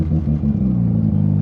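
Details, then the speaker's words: Ported FC RX7 rotary at operating temperature, taken for a drive after a month parked: deep, steady burble with even pulse, no misfire or knock, running healthy; normal running. "sounds good she's running healthy at the moment just at temperature"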